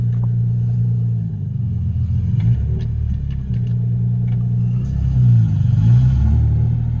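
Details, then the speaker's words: Lexus SC300 driving at about 1000 rpm with a broken exhaust: deep, loud, blatting rumble, far too boomy; an exhaust leak. "Oh my gosh, I didn't get the cold start because I was on the phone, but you're about to hear the car drive. It is so loud, bro."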